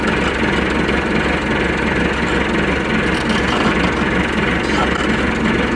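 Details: Massey Ferguson MF 390T tractor at fast idle: steady heavy diesel rumble with a loose, uneven throb; a rough running note whose cause isn't obvious.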